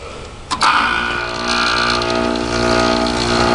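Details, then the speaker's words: Air conditioner on R134a, switched on High Cool: click then steady hum with buzzy mechanical edge; worn-sounding compressor noise, like a worn Matsushita rotary, no worse than when acquired, not severe. "you can hear the compressor sound great but it doesn't sound horrible I mean it sounds like a worn out Matsushita rotary but it doesn't sound like any sort of atrocious horrible sounds"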